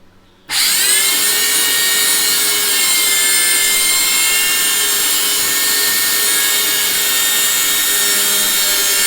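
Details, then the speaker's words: Vacuum cleaner: harsh, piercing, steady high-pitched roar on startup, abnormally loud, and it picks up nothing. "Okay, this vacuum just keeps making a very loud noise. And that's the reason why I can't vacuum my room, because what kind of noise is this?"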